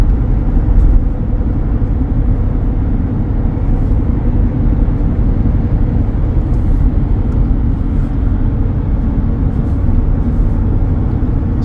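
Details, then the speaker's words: Yokohama Geolandar X-AT all-terrain tires, nearing 40,000 miles after several cross rotations, heard from inside the vehicle at about 55 mph: a constant deep droning road hum with nothing rhythmic over it, nearly as loud as a mud tire. "right now I'm running down the road at about 55 M an hour and they do have a hunt to them you can definitely tell they're there they're not quite as loud as a mud tire but pretty close I would say"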